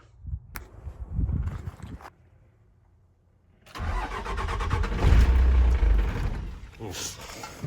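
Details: Cummins 6BT 12-valve tow truck, cold start after piston and head gasket replacement: brief crank, catches into lumpy uneven smoky idle; always does this cold, owner suspects a bad delivery valve, unconfirmed.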